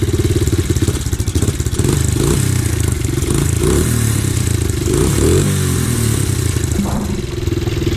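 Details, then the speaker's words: Rebuilt Red Kat Mammoth 90cc pit bike started up after the rebuild: small single revving and settling with a loose metallic clatter over the exhaust note; the exhaust rattles. "there she is don't mind the exhaust rattle"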